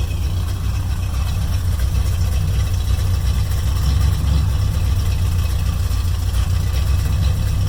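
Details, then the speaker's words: 1972 Mercury Comet small-block Ford V8, new plugs and wires with firing order corrected, idle lowered during warm-up: deep steady low rumble, less choppy than before; idling smoothly. "sounds a little less choppy that's for sure so sounds pretty good though"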